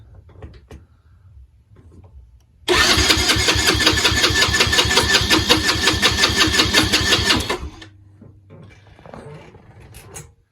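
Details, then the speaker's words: Yamaha Raptor 90 (scooter-style GY6-like engine), non-running, compression test with throttle open: even strong cranking about three beats per second for five seconds; very good reading, valves and rings sealing; normal cranking compression. "That is a very good reading. Cool. So it tells me the valves and the piston rings are sealing, so I shouldn't have to mess with the valves at all."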